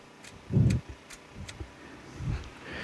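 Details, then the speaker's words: Murray lawn tractor with 14.5 overhead-valve engine, key turned: a few sharp light ticks and a dull thump as the carburetor fuel solenoid clicks, working normally. "let's see if this clicks it does click I hear it"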